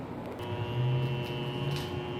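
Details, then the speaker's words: Water Ace sprinkler pump motor with earlier epoxy-repaired shaft: steady low hum with no run-up, drawing locked-rotor amps until thermal overload trips, even with capacitor disconnected; owner suspects the centrifugal start switch, capacitor replacement didn't help. "it kind of just started humming just had a hum to it and I thought it was the bad capacitor"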